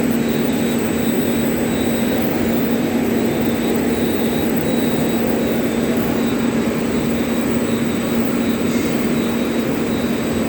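A steady low hum holds one pitch over constant rushing machine noise, a humming mechanical face seal whose cause isn't yet known.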